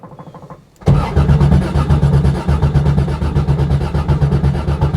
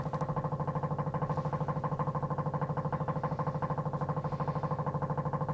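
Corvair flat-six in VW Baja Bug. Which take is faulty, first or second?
first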